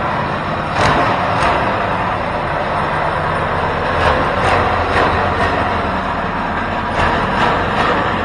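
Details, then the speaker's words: Home-built 424cc inline twin from two Predator 212 engines, first run on thumb throttle with carb needle clip at middle setting: fast, busy idle with irregular pulses never settling; idle too high, owner plans raising clip to drop needle for lower idle. "um you know what i was noticing was that the idol is a bit high so we have we have that needle jet set in the middle"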